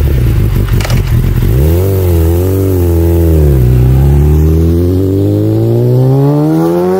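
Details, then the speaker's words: Motorcycle conventional even-firing inline-four "screamer" engine revving: smooth, even exhaust note that blips, dips, then climbs to a high, clean wail; healthy, freely revving; normal inline-four exhaust note. "Yang ini bunyi enjin inline 4 screamer. Favorite aku secara peribadi. Dia punya bunyi nyaring tu, bunyi daripada 4 silinder memang sedap."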